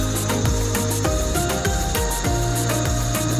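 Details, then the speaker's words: Washing machine spinning after a caught drain cable was freed, cover opened: steady hum with gritty scrapes and rattles about twice a second, grinding inside; technician suspects coins or plastic in the drum. "May gumigiling sa loob eh. Tayo may barya o plastic din."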